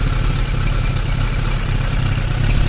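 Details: Suzuki Bandit 600 at idle: a low, dense, slightly uneven beat that never settles, with the owner asking about fluctuations in cylinder 3, suggesting a stumble or misfire there.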